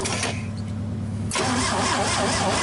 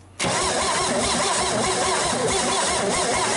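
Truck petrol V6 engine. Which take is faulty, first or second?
first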